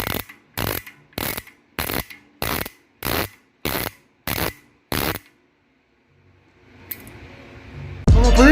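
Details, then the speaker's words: Bicycle hub freewheeling before driver service: loud, sharp, harsh clicks about every half second; freehub pawls completely dry with no grease, quiet once greased. "este es un claro ejemplo para saber cuál sea el tronido de una masa sin absolutamente nada de grasa"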